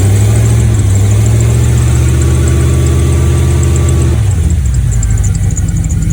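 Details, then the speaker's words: Project truck V8 with carburetor, de-winterized after winter storage (spring 2022), cold: deep, even burble settling lower, steady, no vacuum-leak hiss; runs much better after spark plug change and carb tuning; oil pressure and volts good. "So much better since that plug change and the little carb tuning I did into it."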